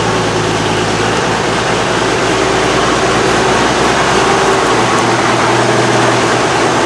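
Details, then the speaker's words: Oliver 88 Wheatland tractor, engine possibly Wisconsin per tractor data, newly on the lot with some issues; steady, even low rumble with no knocks, misses or rattles: normal running. "but god that engine just sounds so smooth and it runs so nice but i really like the cackle that a case engine gives off but man that's that's a beautiful sounding motor in these things"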